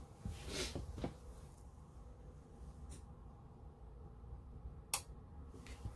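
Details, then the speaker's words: Atwood water heater in a travel trailer, after a control board replacement: flipping the electric-side switch gives a single sharp click as the relay pulls in normally. "sure did right there that was the click for the relay right here"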